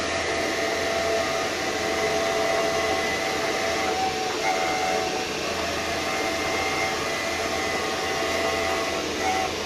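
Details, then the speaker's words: VW Touareg prop shaft half with almost new center bearing, spun in a lathe while twisted: steady whirring rush with a faint thin whine; the noise appears, pointing to the center bearing as the problem. "and then we try to spin it up in speed and try to twist it a little bit and see what happens. And as you can hear, the sound is coming. So I think I have found my problem."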